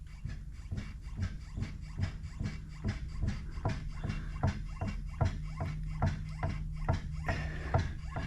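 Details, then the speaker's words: Dodge Magnum with a Scat Pack engine swap, rear wheel rocked by hand on a lift: dull clunks about once a second. Excessive rear differential backlash; oil leaks down the side and a crack is possibly visible on the housing. "so it doesn't it has a lot of backlash it looks like it might have a crack right through here"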